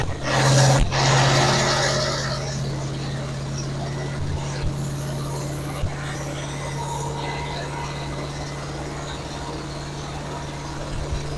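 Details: Camshaft break-in on a fresh engine build, run about 2000 rpm, no temperature gauge: steady, even hum at raised speed with no knocks, ticks or grinding; smooth, healthy run-in.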